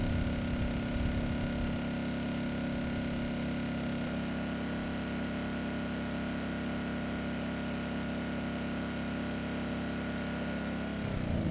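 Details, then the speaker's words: Repaired Kipor KGE 1000Ti inverter generator, warmed up, near full load (THD 2.3%), including a sudden load: even hum dips briefly as the load comes on, then holds smooth. Normal running under load. "You know, this machine just performed flawlessly. It started right up, had no issues handling the load, and actually did a great job handling a sudden load."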